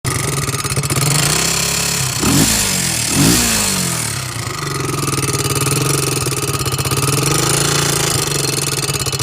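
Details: 2002 Honda 300ex quad single-cylinder at idle with blips: sharp, regular tick keeping time with the engine, louder on the right side of the motor than the left; cause unknown.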